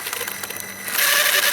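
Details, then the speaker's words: RC rock crawler Jeep ("Beater") on the bench, 2S battery, throttle applied: front spins, rear doesn't, sharp quick metallic clicks under motor whine; bearing seen popping out, owner thinks a failed bearing lets pinion skip ring gear, locker possibly rounded too. "That's a problem, isn't it? So, what do you guys think? It's either the ring and pinion, or it is the locker, or maybe a combination of both."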